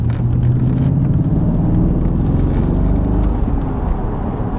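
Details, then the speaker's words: Audi RS4 after replacing faulty clutch switch that made revs hang when changing gear: deep even engine rumble on the move, revs dropping cleanly between gears with no hang-up; normal running through gear changes. "the difference is like oh my god it sounds like a proper car again"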